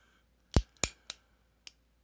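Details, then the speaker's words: Heritage Rough Rider Black Widow revolver, just back from three months of repair for misfires: sharp metallic clicks and a heavier clunk as the hammer is drawn back; hammer binding after the repair. "it's just there's there's like a clunk right there i don't know if you can see it or not you might even hear"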